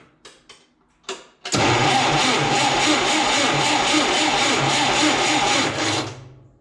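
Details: 1976–77 John Deere 170 skid steer with Wisconsin engine, carburetor ultrasonically cleaned, carb filled via new smaller clamped fuel line, battery booster: brief clicks, then engine catches and runs steady at an even beat before shutting off; starts and runs fine.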